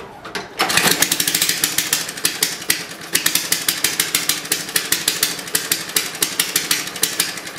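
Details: Lawn mower no-start, muffler off so loud, choke closed: sharp popping bursts about six a second, sputters and backfires but won't run; owner first suspected carburetor, now suspects bad magneto/coil.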